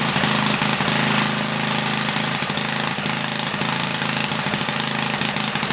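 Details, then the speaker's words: 1976 Briggs & Stratton 3 hp engine on a Tilly rototiller, after ultrasonic carb cleaning: loud, uneven, popping bark with a lumpy loping beat; running rich, main jet needed leaning out. "we're running all right i just had to lean it out a little bit on the main jet also get a muffler huh"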